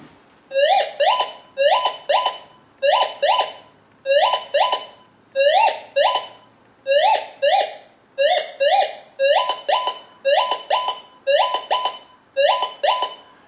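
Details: Minelab Gold Monster 1000 metal detector tested indoors with a piece of brass: repeating paired warbling tones, about one pair per second, as the coil sweeps steadily. A non-ferrous brass target response similar to other metals.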